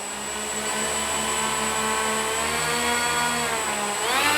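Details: Dynam Messerschmitt BF-110 RC plane, twin electric motors on 4S with two ESCs and aggressive prop pitch, run up on the ground: a smooth motor whine climbing cleanly with throttle, with slight vibration noted; normal run-up.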